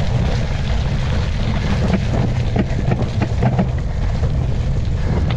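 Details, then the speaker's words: Mountain bike ridden in a very muddy cross-country race: dull clunks about every half second under wind rush as the chain jumps on the cassette. Mud fouling the drivetrain made the gears skip, dropped the chain and eventually stopped gear changes. "yes those clunks you could hear there were my gears jumping like an absolute Maniac they would not settle down"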